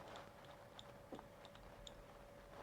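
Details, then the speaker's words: Spare 2200 kV brushless motor for a hovercraft build, spun by hand in a quiet room: a few soft, uneven clonks and clicks. The owner took it apart without finding the cause, suspects the bearing, and fears it will cause vibration. "when it spins, I think that's going to turn into vibration. I've took it apart, can't figure it out. It's just got a clonk. It might be in the bearing itself."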